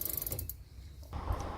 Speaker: so just to make sure that the oil gets into those links and really makes the chain nice and smooth, and you can hear that it's running so much quieter